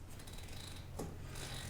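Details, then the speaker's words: Seat belt in a Tesla Model X, pulled fully out while installing a Graco Extend2Fit car seat rear-facing: quick light ratcheting clicks as it retracts, meaning the retractor has switched into locked mode and the belt can't be pulled back out. "do you hear that clicking sound that means it's locked so I've switched it into locked mode and you can see now I can't pull pull it back out"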